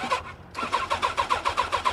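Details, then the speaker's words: Used motorcycle (sport bike) with bent forks at a salvage auction: steady starter cranking with even compression pulses about seven a second that almost catch but never fire; cranking, no start. "come on you're right there she's right there you hear it she wanted to fire up she wanted to fire up"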